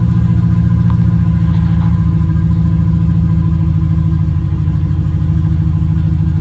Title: First fire up after vacuum leak fixed.